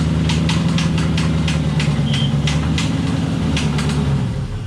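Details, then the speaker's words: LS-swapped E36, blown after a hard spin while drifting, possible oil starvation: rough uneven V8 idle with a dull knocking thump under the exhaust; metal shavings on dipstick point to bearing damage, suspected rod knock. "you could i'm sure you could kind of hear the noises going on there from that video of you pulling in but doesn't sound good i'll be honest definitely sounds sort of like the top end but the fact that there's metal shavings on the dipstick it just kind of says uh says it all and says it's gonna be bearing related"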